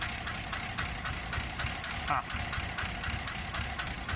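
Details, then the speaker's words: 2015 GMC Yukon 6.2L V8 with a plugged catalytic converter, at a rough idle, won't idle on its own, scan tool shows a one-cylinder misfire: sharp ticking knock about four times a second from a collapsed lifter. "now there's clearly a collapse lifter bouncing around in there you hear it I hear it"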